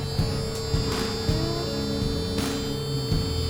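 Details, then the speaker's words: Massey Ferguson backhoe, probably 1970s, non-running, ignition switched on before fueling: steady shrill warning buzzer sounding continuously over faint shop clatter, cause unknown. "Hear that, Alan? Well, it's screaming at us. I'm trying to figure out how to turn it off."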